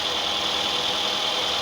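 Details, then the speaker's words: 2004 Toyota Camry after ignition coil replacement for misfire; engine idles evenly with no vibration, stumble or shake. Normal idle after repair. "tenemos andando el motor sin ninguna vibración sin ningún problema todo trabajando en perfectas condiciones"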